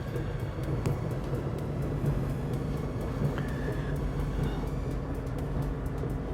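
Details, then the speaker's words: LG dryer after lint clean-out and squeaky rear roller replacement, reassembled and run on normal heat: low, steady drum rumble with faint light ticks and no squeal; drum tumbling smoothly, running normally. "Okay, so let's turn this guy on. We'll run it on normal so we can get some heat going through there."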